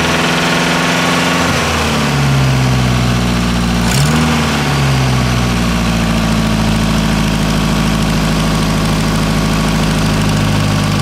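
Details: Nissan S13 with turbo CA18DET at idle: steady low rumble with a faint regular tap riding over it; owner unsure whether it needs a crank grind, origin unknown.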